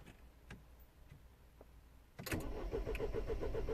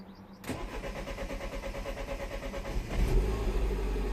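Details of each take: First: 2010 Mini Cooper S 1.6 N14, non-runner: steady cranking about four turns a second, never fires, crank no start; no crank or cam signal reaching DME, fuel pressure during cranking also very low. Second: 2010 Mini Cooper S 1.6 N14 after adding 5.2 kΩ pull-up resistor to crank/cam signal lines: about 2.5 seconds steady chugging crank, catches at once into smooth even idle, no warning lights.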